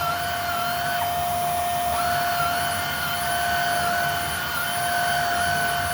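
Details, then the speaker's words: Hoover Air Steerable upright vacuum after brushroll and belt replacement: a steady, even motor whine at constant pitch with no rattle; quieter than before at the same pitch, running normally. "I don't know if you can hear that or not, but it's definitely quieter. The pitch is about the same, but the decibel level definitely decreased."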